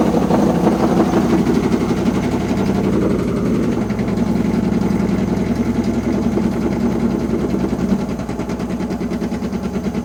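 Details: Washing machine with loud rumbling: heavy, uneven thumping about twice a second as the drum turns, like loose bricks tumbling; cause unknown.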